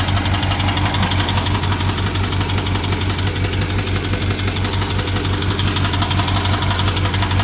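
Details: BMW 750Li with N63 engine, after fuel injectors and high-pressure fuel pump were replaced. Heavy low idle rumble with a steady light tick following engine speed; top-end ticking with misfire, owner suspects timing chain, unconfirmed.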